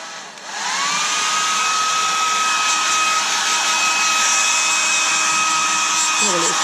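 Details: Hair dryer that developed a high-pitched noise: a steady airy rush with a clear high squeal over it. The owner suspects something rubbing or a dry motor bearing, and the noise is still present after reassembly.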